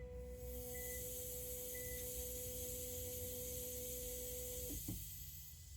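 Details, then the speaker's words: 2019 Citroen Berlingo 1.5 HDi after misfuelling, logging code P008B (high pressure in the low-pressure system): the rear fuel pump hums, then a constant hiss from the tank, where the relief vents pressure; owner believes fuel isn't returning properly. "so basically the fuel's going up um but it's not been allowed to return properly and therefore the pump release in the boot u in the tank is expanding out and releasing off the pressure"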